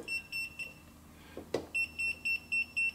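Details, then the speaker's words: Kaiweets HT100s non-contact voltage tester probing an American outlet: rapid high-pitched beeping, about four a second, with the display at about 10%, signalling voltage present; it beeps louder right on a wire. "see what happens now you can hear the thing is beeping uh it's showing about 10% it's going to scream bloody murder when it's right on a wire"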